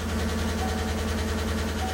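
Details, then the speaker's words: Chevrolet V8 with AFM/DOD (Tahoe/Silverado), started very cold with thick oil: a lumpy idle with a fast, light top-end tick and a misfire. This is a collapsed lifter under the VLOM; oil pressure is being monitored on a scan tool. "Oh, that's definitely a collapsed lifter."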